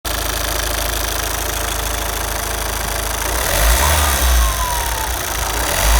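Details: Opel Zafira 1.9 TDH diesel: idle then revs rising to 4000 rpm with a thin whistle climbing alongside; turbo whistle.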